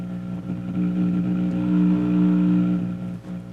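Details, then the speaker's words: Dual 506 belt-drive turntable with a loud hum complaint: steady low mains hum with buzzy overtones, heard on both channels, swelling briefly as the lead is moved; a broken signal cable or loose shield ground is suspected. "Okay. It's quite loud on the right channel. Actually, which one is it? [Music] It's on both."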